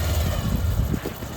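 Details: Pulsar motorcycle brought in with an electrical fault (no spark, weak battery), started after repair and running without the battery. A short burst of low, even single-cylinder idle with no misses. Finding: normal idle.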